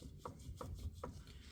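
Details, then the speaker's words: Ford Expedition with a clicking at 40–50 mph: three sharp metallic clicks as the front driveshaft is rocked by hand, revealing play from worn U-joints. Rear driveshaft fine; front driveshaft replaced. "So I did some inspection and looks like this is coming from the front drive shaft. It's easy. You could uh just look at the CV joint right there. Camera right here. So, I can hear there's a play."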